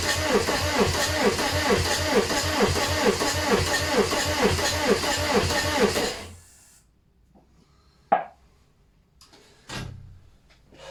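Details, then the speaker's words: VW AHU TDI diesel engine on garage floor before camper swap, ECU connected, tank pressurised, injector lines off: even cranking about two compression beats per second for six seconds, no firing; crank no start, no fuel reaching injectors, a connection possibly forgotten. "Right, why are we not getting fuel through?"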